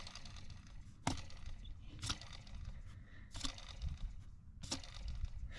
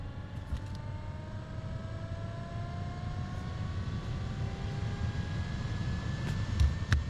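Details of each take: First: 2005 Acura RL blower motor, removed and spun bare, with brushes failing (works intermittently) and very dirty: a few sharp, irregular knocks about a second apart as something hits inside the motor. Internal knocking. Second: 2005 Acura RL blower motor just replaced, old one's brushes going bad: steady whir climbing smoothly to full speed, a few ticks near the end; now runs faster than before, working properly.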